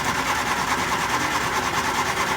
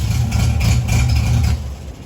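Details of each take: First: 1967 Triumph Spitfire Mk II with hard starting: a steady starter churn of about three beats per second for ten seconds with no catch. It cranks but won't fire, starved of fuel; the pump is suspected dead. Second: 1967 Triumph Spitfire Mk II after fuel pump fix and carburetor tuning: a smooth, even, low idle at about 800 rpm with no stumble or misfire, the carbs sounding balanced. The car, which previously would not start, now runs healthy. Normal idle.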